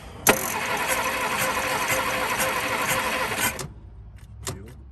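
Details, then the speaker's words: 1951 Studebaker recently unstuck engine with leaking carburetor; it catches and runs ragged with uneven beat for about three seconds then dies; stumbling and stall because the coil wire fell out. "Oh, coil wire fell out. Let me unhook that coil before I kill myself."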